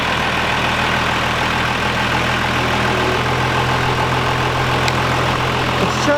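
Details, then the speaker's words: Second-gen Cummins 12-valve diesel truck idling after a green belt install meant to cure belt squeal and a KDP job: steady, even low clatter with no belt squeal or chirp; running smooth. "let's get the truck all started up here and make sure we ain't got no leaks and then let it run for just 2 or 3 minutes"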